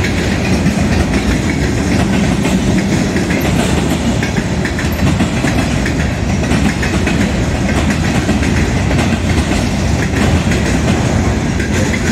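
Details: Southbound CSX freight at South Beech Street crossing, Oxford, OH, accelerating: loud rapid clickety-clack under a steady rolling roar; onlookers suspect a bad spot in the track such as a rough rail joint, unconfirmed.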